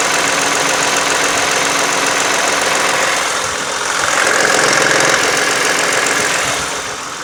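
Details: 2009 Toyota Sienna engine running steadily with an odd, fairly regular light ticking over a hissy top end; source unclear.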